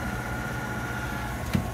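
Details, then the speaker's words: Trane water source heat pump blower motor with failing bearings: steady low drone with thin whine; amp draw rising above 3.4–3.6 rating after minutes of running, motor expected to lock up; unit also low on R22. "Blower's making noise again see if we can't get five amps and blowers going bad"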